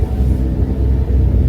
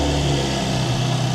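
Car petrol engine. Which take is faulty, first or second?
first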